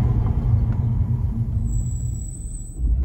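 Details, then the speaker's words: Car with new Ferodo DS2500 brake pads, brakes at normal temperature and not hot, during braking: a faint, thin, very high squeal over low road rumble at the end of the stop. "Also wie ihr hört, ich mache noch ein, zwei Bremsungen für euch. Die Bremse ist jetzt nicht wirklich warm, hat jetzt normale Temperatur, ich bin jetzt nicht geheizt oder so."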